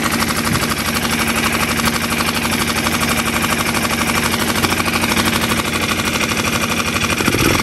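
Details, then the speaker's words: New Hangkai 6.5 hp four-stroke outboard in water barrel, after backing out the too-far-in idle speed screw: even steady idle with regular firing pulses, no knock or miss, sounds much better; normal idle. "i unscrewed it some and it seems to be fine now let's see if we can crank it up with me holding this see that sounds a whole lot better"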